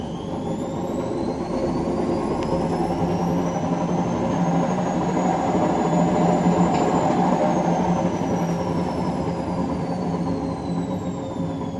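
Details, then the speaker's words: Washing machine in test mode on spin: loud, rough jet-engine-like roar rising and falling with drum speed; clearly a worn drum bearing, not a shock absorber fault, needing the drum disassembled for bearing replacement. "Jet motoru gibi ses çıkarıyor. Uçuşa geçecek. Bu amortisör arızası değil. Bu net olarak rulman arızası, değişmesi lazım."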